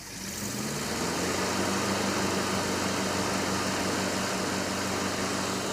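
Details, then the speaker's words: 1967 Ford F-250 V8 running with a ballast resistor, about 7.5 V at the coil while running, with strong oil pressure. It catches and settles into a steady, even low rumble with no misses, knocks or stumbles, which is normal running. "oh man H it's so nice to hear it running great again I know"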